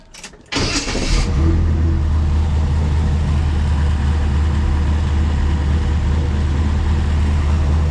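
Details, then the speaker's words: Brand-new small-block Chevy V8 after fixing oil burning traced to the intake valve rocker stud: starter whirs, then a deep smooth even rumble, no knocks, no smoke after half an hour running. "turn's good no issues no smoke she's been running for about half an hour"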